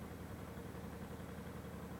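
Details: Honda multi-cylinder motorcycle after carburetor pilot-screw mixture adjustment (screwed in until a 50 rpm drop, then out one turn): quiet, even idle with no hunting or misses.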